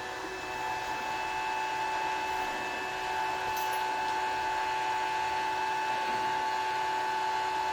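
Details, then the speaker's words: Gramercy Place Garage CO-testing exhaust fan: after reset the fan ramps up to 100% speed, which is correct with the sensors not communicating; steady whir with fixed high-pitched tones, level creeping up then holding. "and it's ramping up stop stop stop it's not stopping it's going up to 100 speed"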